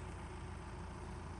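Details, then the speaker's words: Camper van diesel in Swedish arctic cold idling warm after a hard -25°C start with partly iced, diluted coolant; low steady rumble without misses, knocks or hunting, normal idle. "and after it heated up, it turned over like there was no issues at all. So, just shows the importance of engine preheaters."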